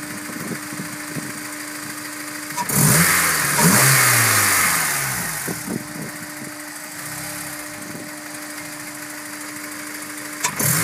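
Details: Warm engine idling and revving with an uneven ticking, roughly two knocks per second, persisting through throttle blips; cause unclear and unconfirmed; engine noise when warm.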